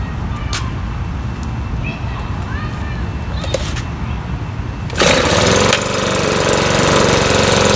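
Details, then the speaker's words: Makita BHX2500CA 4-stroke blower, old black oil before oil change, being warmed up (not hot) to drain oil; small engine fires and settles into steady, even, high-pitched run with no misses; normal running. "we're going to go ahead and warm it up not get it hot just warm it up"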